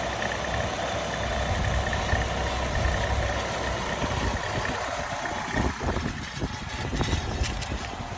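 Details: Nissan Altima 2.5 SV with 75K miles at idle: rough, uneven rattle with a faint high whine on top; something in the engine bay is loose or worn, cause unknown.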